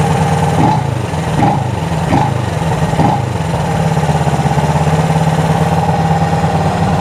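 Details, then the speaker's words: Honda CB360 twin after cam chain, valve, points and timing adjustment and carb sync: settles into an even, steady beat and picks up cleanly with throttle, no stumbling; carbs well balanced, running smoothly. "I mean she's she's running like a singing sewing Singer sewing machine"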